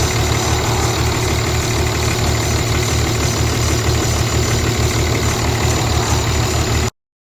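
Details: Semi truck idling after the transmission was pulled and reinstalled roadside, with the crossmember and driveshaft refitted. Steady diesel clatter at about three to four beats a second, with no clunks from the flywheel end. Normal idle.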